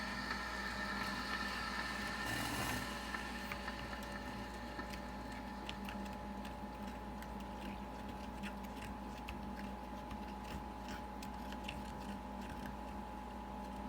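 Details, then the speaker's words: Breville 800ESXL espresso machine after an ULKA EFP5 120V water pump replacement: a steady pump hum, a short hissy gush as it drains and purges the thermal block after brewing, then an even drone before returning to the ready state. Normal purge. "You heard that sound. It basically purged the thermal block. It's now put itself back into that ready state"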